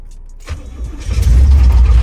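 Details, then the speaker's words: 1986 Chevy Caprice Classic Brougham, 350 small-block Vortec with 700R4 and electric fuel pump, engine needing a rebuild: it cranks and catches on a cold start, then settles into a rough low idle with a dull bottom-end knock. "here crank right up but you can hear that knock they gotta warm up"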